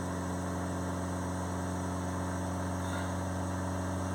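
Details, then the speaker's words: Nissan Qashqai diesel whose blocked DPF, which had stopped it starting, was cleaned off the car with Wynn's cleaner: now idles with a steady, even low hum with no knock or hunting, and it revs up. "that's it running see it revs up he'll need to go for a run to get the rest of the crap out but that's a good start"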